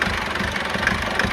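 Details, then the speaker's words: Foton Tunland diesel at idle shaking with an irregular, knocky clatter and uneven beat after two recently repaired injectors started giving problems again; rough idle it never used to have, root cause not found. "just wanted you guys to see what I mean by idling Rock it's not too bad but can you see how that how the engine is just shaking she never used to do"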